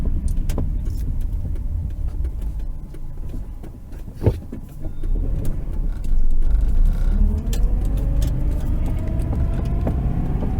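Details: 1993 Subaru Impreza wagon, EJ18 1.8L SOHC, manual, AWD: sharp irregular pops from mid-dash over road rumble, only when warm, after 50+ mph driving and slowing from 35 to 20 mph. Source unknown.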